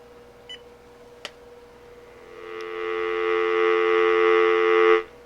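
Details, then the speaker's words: Uniden EXI376 900 MHz cordless phone after swapping in a working power supply from another phone: clicks, then a steady clean dial tone with no hum; open line quiet, normal. "to me that sounds pretty normal. We'll get an open line again, and you can hear there's really no noise in there."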